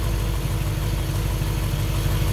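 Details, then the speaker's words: 1955 Chevy Bel Air Convertible engine unstarted for 30 years, carburetor bowls filled with gas: deep, steady low rumble with an even beat and no knocks or ticks; idles smoothly; normal idle. "Purrs like a kitten. This engine hasn't started in 30 years. She's running pretty good"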